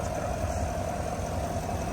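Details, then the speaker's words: 2022 Chevrolet Suburban V8 after engine noise/misfire repair. Smooth, even low idle hum with no tapping or knocking; checked for oil and antifreeze leaks, all running well. "Ya se ha devizado fugas de aceite, de anticongelante y todo anda muy bien."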